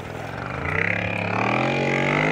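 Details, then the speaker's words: Lohmann 18cc two-stroke variable-compression diesel moped engine after rebuild with new piston, riding uphill with little pedalling: steady chugging, pitch climbing gradually, no misses or knocks; healthy under load. "we're actually riding up a hill now and I'm almost not using the bike part of it as you can [Music] hear"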